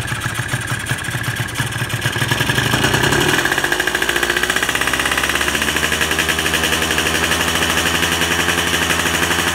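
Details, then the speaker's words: Carbureted engine at the 1/4-throttle check with the idle/air screw backed out: it climbs, then stutters raggedly and cuts out early around 5 on the tach instead of 9.5–10; the pilot jet is far too large and running rich. "Ok, sama juga RPM 5 dia dah cut. Jadi ini memang terlampau besar lah pilot."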